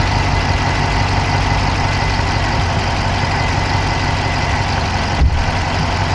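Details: Dodge Charger Hemi at idle, recorded inside the passenger-side engine bay: a steady idle with a fast, even, light ticking over the engine note; an engine tick whose source is unclear.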